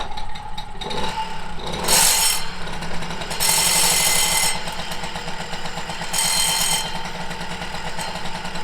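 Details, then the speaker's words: 1987 MBK 51 Magnum, liquid-cooled two-stroke moped with 12,000 km, just started using the choke: uneven idle with a dry gritty rattle. Clutch noise from the balls starting to rub is suspected. "Voilà, il y a l'embrayage qui fait du bruit là, comme toutes les motomécanes. Hein. Ouais. Les billes qui commencent à frotter."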